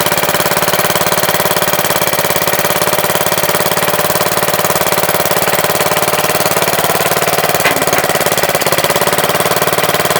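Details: MTD Wizard lawn tractor small single-cylinder engine after spark plug change: even, quick rapping beat at constant speed, no stumbling or surging; runs really good, owner suspects clutch or transaxle issue with loose shifters.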